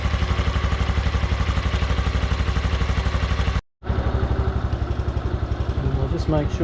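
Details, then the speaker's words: Honda Super Cub NBC110 (Innova) after service with cam chain inspection, cleaned filters and 700 ml fresh oil, first start before refitting footpegs: steady idle thump about four per second, no tapping or rattle; cam chain quiet and healthy. "So before I put the foot pegs back on and the other bits and pieces, I'll just give it a start and see what it sounds like. There we go. No rattles, which is really nice."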